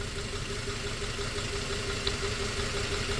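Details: 2004 Toyota Tacoma 4-cylinder, 141,000 miles, steady idle with a faint uneven stumble about three times a second from a cylinder 1 misfire. No clear injector tick on the stethoscope; a heat-soaked injector is suspected after coils and plugs were swapped.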